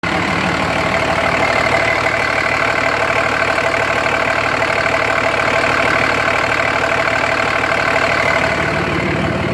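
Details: 2004.5 Dodge Ram 2500 Cummins diesel at idle: loud clatter with a steady beat around three per second and slight roughness. Owner suspects rough idle and blow-by, noting excessive vapor from the oil fill cap; unconfirmed.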